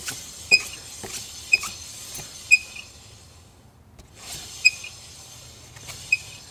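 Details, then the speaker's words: BMW S1000RR front wheel turning: sharp high chirp about once a second from the speed sensor rubbing. Loosening the sensor's bolt to the fork fixed it, leaving only normal brake drag. "rip so I figured out what was causing the squeal on my BMW s1000 front wheel here it was the speed sensor"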